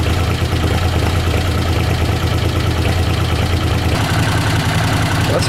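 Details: Honda CX500 twin, 30,000 miles, warm idle on fresh gas: steady deep throb with no stumbles or cut-outs; earlier it cut out on throttle, now running a lot better, normal warm idle.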